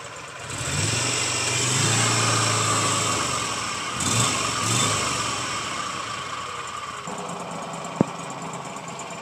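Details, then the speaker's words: Walker Super Bee 60-inch mower, new filters, in neutral with PTO off: engine runs steady and strong, then eases to a quieter, even speed, no smoke, misfire or knock; normal running. "make sure the PTO is off back here and that's just like that be quiet engine doesn't smoke"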